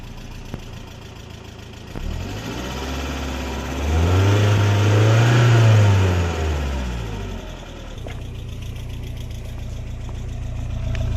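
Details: BMW E36 318is with M42 petrol four-cylinder, idling with a quick rev. A light regular tick rides over the idle, starting suddenly the morning after oil pan gasket replacement and oil pan crack welding. Cause unknown.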